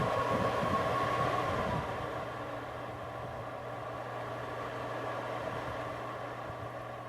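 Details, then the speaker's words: Replacement blower fan installed in a Napoleon 1100 fireplace insert via the rear firebox access door: steady low hum with constant whirr, fading slightly, no ticking, scraping or wobble; running smoothly. "And there we go. All installed. Fan is running."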